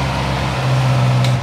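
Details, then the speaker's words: Honda CB650R started with externally supplied power, confirming the original fuel pump faulty; firm, even low hum running steadily before switched off. Normal idle. "Bật khóa này nổ máy này đó ta lổ máy bình thường rồi nhá Đó"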